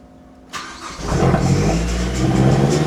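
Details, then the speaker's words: Mazdaspeed 3, not run for six years, old fuel in tank; quiet, then catches abruptly, ragged uneven rev before settling. Hard first start after storage, cause not confirmed. "Took a while, but holy 6 years."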